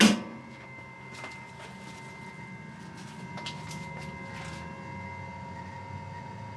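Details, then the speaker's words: EG4 FlexBoss21 or Amensolar N3H-X12US solar inverter, door shut: a steady high-pitched whine with a few clicks and bumps, far from silent. Loud inverter cooling fan noise. "Far from silent if you ask me. It's got that high-pitched whine. Yeah, that's uh pretty obnoxious, I'd say."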